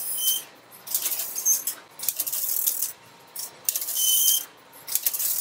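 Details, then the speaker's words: Telephone exchange line finder exercise test on the newly working lowest bank: bursts of crisp clicking and ratcheting as senders pick up and release while the line finders step up; the mechanism cycles normally. "so we'll walk over this way and you can see the senders are picking up and then releasing as all the line finders go up and"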